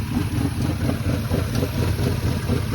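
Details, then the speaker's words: Car idling after the owner's own tune-up: lumpy, uneven idle with a loping beat and dropped pulses, not running on all cylinders; misfire, possibly coils damaged while changing spark plugs, unconfirmed. "This customer did their own tuneup on their car, and as you can hear, it's not too happy about it. Sounds like it's not running on all cylinders, so possibly messed up the coils when doing the spark plugs."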